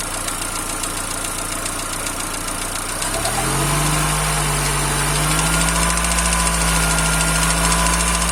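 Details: Peugeot/Citroën TU5JP4 engine at cold idle: light, regular tapping about three to four times a second over the hum, appearing about a minute after start and vanishing once warm; cold engine knock.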